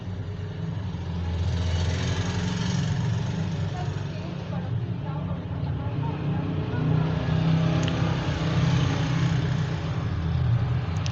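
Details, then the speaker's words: Lahori air cooler fan motor, previously jammed and noisy, after bearing replacement: smooth steady low hum with no rattle or grinding; motor runs quietly, noise gone. "ठीक है, अब शोर नहीं कर रहा।"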